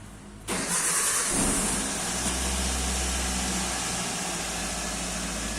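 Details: 2005 Toyota Avanza in neutral, handbrake on, after fuel pump prime hiss at key-on: brief crank catches cleanly at once and settles into steady even idle, no misses or knocks, check engine light goes out; normal start.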